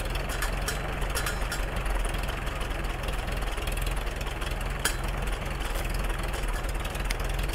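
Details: Freshly restored 1942 Farmall H tractor, muffler just fitted, carb roughly tuned, engine still breaking in and not fully hot: steady low putter at fast idle, even firing with no knocks or rattles; running fine.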